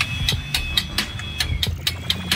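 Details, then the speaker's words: Mitsubishi Mirage G4 after an engine rebuild by another mechanic: sharp metallic knocks about four a second, evenly spaced at idle, on every combustion stroke; piston knock. "yung ingay niya ganun ang ganon habang ikot ng ikot to lagatok ng lagatok yan kada sabog ng compres yan"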